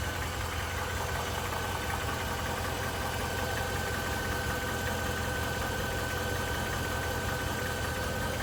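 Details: Mercedes-Benz GL 500 with M273 V8, 72,500 km: steady idle with light, fairly even tapping over the engine note, roughly two to three per second; engine knock at idle, cause unclear.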